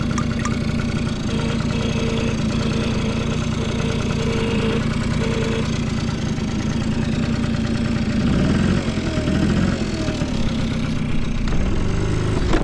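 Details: Vintage Honda Squash (AB11-1064) 12V moped with electric starter, running test: small single ticks over at a steady, even idle, no knocks or rattles; no abnormal engine noise, quiet smooth run.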